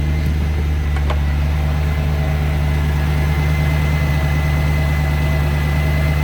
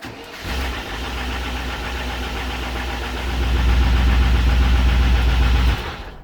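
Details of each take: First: 1994 Range Rover V8 after ignition, fuel and EFI fault work, running on petrol (runs poorly on LPG): deep, even, steady idle hum with no misses, knocks or hunting; running cleanly on petrol. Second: 1994 Range Rover V8 after ignition, fuel and EFI faults were addressed; fires instantly, then idles with a quick, steady ticking-knocking patter; suspected the newly fitted distributor, unconfirmed.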